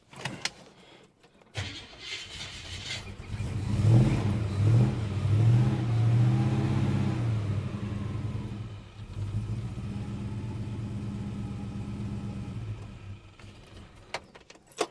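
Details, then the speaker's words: Holden HK engine just after spark plug gaps were closed down (plugs rusty): starts and revs, then runs lumpy with an uneven, stumbling beat at idle; misfiring, which it did not do before the plug work. "that's misfiring not running foreign it did not sound like that before I [ __ ] with the plugs"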